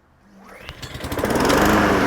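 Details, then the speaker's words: Brand-new Honda HRN216VKA lawn mower, fresh oil and ethanol-free gas, first pull out of the box to begin 30-minute break-in: pull-cord rasp, engine catches and settles into steady, even rhythm; normal start. "Ah! First pull out of the box. That's a Honda for you."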